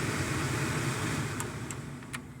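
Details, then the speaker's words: 1998 Chevy Silverado (GMT400) after replacing the AC blower motor resistor, fan on the fourth (high) setting: a strong, even rush of air over a low hum with no rattle or squeal. The resistor fault is fixed. "Yep, again for the third. And there's the fourth. All right, we got it fixed."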